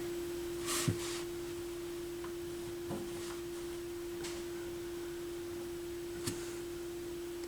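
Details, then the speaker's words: McIntosh MAC 1900 stereo receiver from eBay, initial evaluation on FM through headphones: steady low hum with faint clicks and no program sound in left channel while right channel plays; left channel buzz, nothing on AM. "Yeah, I'm getting a buzz on left channel."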